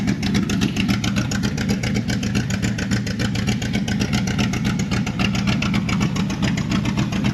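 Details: 1984 Chevrolet Monte Carlo SS small-block dirt-track race car, first start in 12–13 years: lumpy, loping idle about 220 beats a minute with uneven, stumbling pulses over a deep exhaust; rough idle, possibly a cam, plugs and carburetor suspected.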